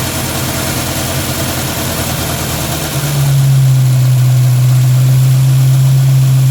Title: Strange noise from engine bay